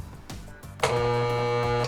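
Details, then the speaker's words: Old portable tire-inflator air compressor that quit working, run from a charger: a steady low hum for about a second with no pumping strokes while drawing over 15 amps; the motor is stalled. Something is jammed or binding, possibly the cylinder. "Hear it humming? And check this out. Can you see it? Over here on the meter. It's drawing over 15 amps. So something's jammed and binding in there."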